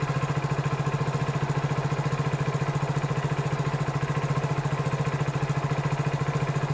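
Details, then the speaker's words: Hero Splendor BS6 single-cylinder bike just started cold, rpm around 1739 on live OBD data, temperature-sensor automatic choke active until warm: rapid even thumping at raised steady idle, no misses; normal cold-start fast idle. "तो यह temperature sensor ही automatic चौक का काम करता है और यह temperature sensor जब engine ठंडा रहेगा तो ऑटोमेटिक इसके एक्वेटर को ऑन कर देगा ऑटोमेटिक चौक लगा देगा"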